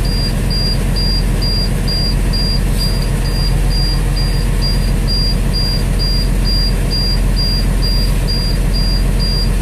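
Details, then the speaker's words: International 4900 with DT466 diesel after replacing a bad air pressure sensor: steady high beep about twice a second over a rumbling idle while air builds; low air pressure warning still active, expected to clear a little over 60 psi. "there's an air pressure gauge over there you can see it's building on up so that uh that light beeping should go out when it gets a little over 60 there"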